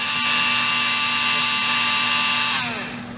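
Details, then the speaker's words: REDS Racing VX4 Pro Stock 17.5T brushless RC motor on a tester at 45° timing, about 23,352 rpm: piercing high whine that slides down on spin-down; suspected vibration from the shaft loose in the bearing. "Now you hear that vibration in there. That usually happens if the bearing is a little, if the shaft is a little loose in the bearing."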